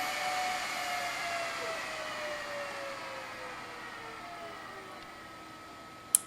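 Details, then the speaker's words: BLF188XR LDMOS amplifier with a Meanwell RSP power supply, after adding a variable fan controller: soft steady fan whir with slowly sinking pitch at idle, no rattle or buzz; normal fan idle. "watch this this is just idling I'm sure you can hear it"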